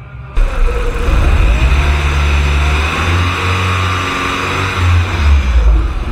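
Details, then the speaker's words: VW Golf 2 1.8T project after the repeatedly detaching power steering hose was fixed: the engine idles with a steady low rumble and a light rev, with no pump whine or hiss. The power steering pump sounds normal. "motor pracuje na razie nie słychać żadnych tutaj szumów pompy"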